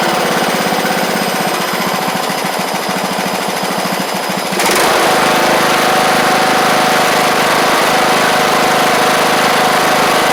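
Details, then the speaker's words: John Deere LA100 mower, 5-speed transaxle, long-sitting, hard starting from valve issues, just running: small single-cylinder engine at fast steady beat after a sudden pitch change, a little rough but holding speed; owner suspects failed spark plug. "think give it a little run time. It'll be better. I think if we change the plug out, it'll be a little bit better, too, cuz I bet that plug has failed pretty bad."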